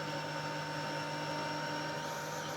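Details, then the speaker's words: 1991 Siemens Super 914S vacuum cleaner: thin, steady whine with little airflow; no suction on the low settings, some only on Super. Owner suspects a full bag and filter or faulty electronics. "There's nothing happening at all. There's no suction. Nothing. But if you put it in Super, you start to get something."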